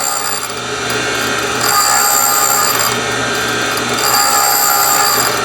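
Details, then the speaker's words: Valve refacing machine: dry raspy grinding pulsing about four times a second, each pulse as the dog tooth advances the feed gear; contact pattern widening evenly; normal refacing. "the reason that you're hearing that noise in little burst is that it it coincides with each uh time that the tooth on the dog grabs another gear and pulls it"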